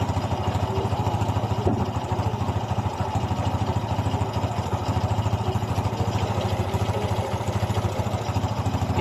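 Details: Honda XRM 125 single after reboring and piston replacement to fix piston slap and white smoke: an even, steady low putter at idle with no knock or slap underneath, running smoothly.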